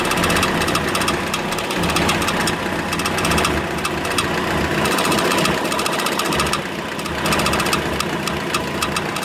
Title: BRUIT MOTEUR